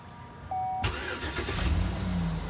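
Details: GMC Yukon/Tahoe after fixing random misfire P0300/P0307 on cylinder 7 with intake manifold removed and new sensor fitted, starting to bleed cooling system: brief crank, clean catch, steady even idle with no stumble or miss; normal.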